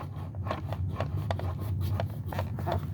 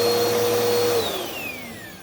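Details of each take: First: Bissell Powerforce Helix vacuum motor turned by hand, with felt resistance and uneven gritty clicks and scrapes about three a second: worn motor bearing, possibly brush roll bearings too. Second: Purple Bissell Powerforce Helix upright vacuum after about 6 months unused, motor run: steady high whine then smooth even wind-down, no rattle or grinding; most brush-hole bearings previously replaced, no warped base; normal healthy motor.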